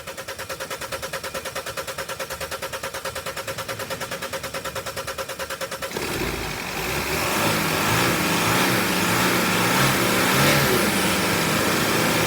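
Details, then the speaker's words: 2014 Mercedes Sprinter W906 316CDI, 4-cyl turbo-diesel OM651, approx 230,000 km, first start after EGR valve and intake manifold removal and soot cleaning: steady cranking for six seconds after a few attempts, then catches into an even, healthy idle. "It's taken a few attempts, but the engine will fire up. Let's listen to it."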